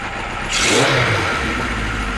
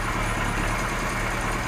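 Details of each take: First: Kawasaki Z1 four-cylinder, air filters off, idle screw tweaked without gauges, idling around 750 rpm: sharp blip, then revs sag back slowly over a second or more instead of dropping straight to idle; carbs not yet synced. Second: Kawasaki Z1 four-cylinder, about 50 years old, air filters off, after vacuum-gauge syncing the four carbs and adjusting the air mixtures: even, steady tickover, smooth low hum, no stumbles or misses; idles much better.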